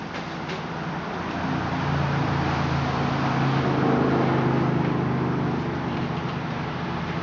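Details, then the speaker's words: Kawasaki KX250F motocross race bike with a Vortex X10 ECU on map setting 2-3-3 (map 7), started up: crisp, even single-cylinder idle that swells smoothly with a light blip and settles back; clean and healthy running. "this is exactly how it runs when I fire it up and it runs amazing here I'll start it up for you guys so you can see it sounds good"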